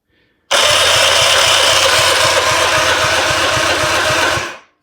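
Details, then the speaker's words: 1958/59 Johnson 50 hp "Fat 50" outboard cranked on a jump pack, about 85 psi compression on the first cylinder: brisk pulsing turnover under a harsh rough gear whir from the starter; starter cranking noise. "but that starter still sounds pretty funny but it it does seem to be turning it over a lot easier"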